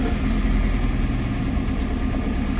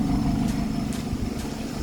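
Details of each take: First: Petrol car, a former taxi, at idle after a start to test whether the battery is the problem: low, uneven, lumpy misfire beat persists, sounding slightly better; exhaust/muffler to be checked next. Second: Former taxi car after its misfire was fixed by replacing an ignition coil, idling with the AC on and steady RPM: an even exhaust note with no popping or stumble, running smoothly.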